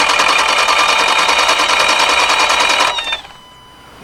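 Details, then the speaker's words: Subaru, probably a 2015+ WRX: after a snapped belt was replaced, and after the engine ran hot (240°), the starter whirs evenly for about three seconds without catching. This is an unexpectedly long crank with the cause unclear, though the hookups look correct. "right that clink cranked a lot longer than I thought it would but it looks like everything is hooked up correctly"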